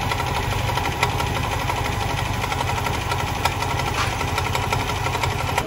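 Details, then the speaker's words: Old Yamaha Aerox scooter with an oil leak: rough clattery idle with light metallic top-end ticking; possible causes listed include cam chain tensioner, slack cam chain, valves, worn camshaft or its bearing; finding: worn camshaft and failed tensioner. "suara berisik ini bisa disebabkan dari banyak banget kemungkinan nih Besti misal paling umum tuh Biasanya ada pada tonjokan ketengnya ngambles terus rantai keteng kendor terus klep jeber juga bisa baut setelan klepnya udah kemakan juga bisa noken as keemakan juga bisa bearing noken as oblak"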